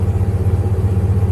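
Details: 1995 Jeep Grand Cherokee 5.2 V8 after throttle body cleaning, Seafoam and idle air control valve work for hard cold starts and 1200 rpm high idle. Deep, even warm-up idle with no hunting or surging; power steering pump noise noted.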